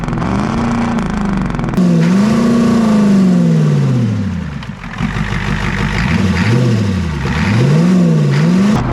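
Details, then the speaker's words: 7.3 IDI diesel just revived: clatter with pitch rising and falling as revs swing, then holding a raised steady fast idle; the fast idle still works normally. "oh oh the fast idle still work that's awesome all righty well there you go"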